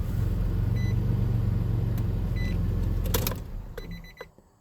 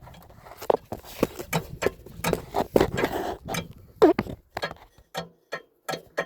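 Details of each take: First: 2004 Nissan Frontier supercharged 3.3 V6, about 49,000 miles, 22 years old: even idle and clean shut-off with no knock after tightening loose torque converter bolts that caused rod-knock-like noise at start and shutdown. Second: 2004 Nissan Frontier supercharged 3.3, about 49,000 miles, starter removed, from under the truck: irregular sharp metallic clunks as torque converter is rocked by hand; loose converter bolts, sounds like rod knock.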